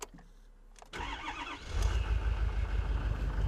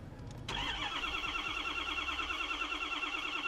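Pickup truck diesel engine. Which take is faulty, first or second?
second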